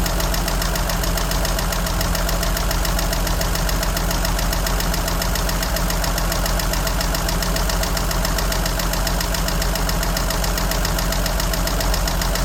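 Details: 1963 Jeep Gladiator at an uneven idle: a light, fast, valvetrain-type tick of about three to four per second. Oil is very dirty and two quarts low, and the battery drains quickly. No cause found.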